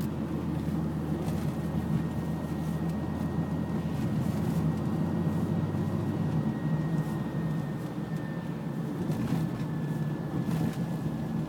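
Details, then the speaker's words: A 2002 Honda Odyssey driven at night, accelerating to about 50, has the same grinding noise as before its transmission repair. The noise was said to go away off the gas. Heard as in-cabin road rumble with a thin, high tone slowly drifting lower. "go in a drive right now you can hear this grinding noise same as before"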